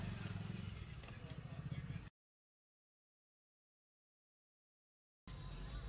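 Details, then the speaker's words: Hero Splendor Plus BS6 motorcycle after tappet setting fixed loud engine noise: even single-cylinder putter about three and a half beats a second with no tappet ticking; sounds healthy and quiet, normal idle. "तो देख सकते हैं फ्रेंड्स, हमारी बाइक का साउंड था जो बिल्कुल एकदम ठीक हो गया है फ्रेंड्स।"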